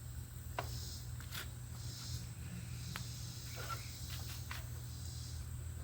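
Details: Free 21-inch Murray push mower after cleaning the gas tank and air cleaner base, primed and started on the second pull: steady, even low drone with no misses, knocks or surging; normal running.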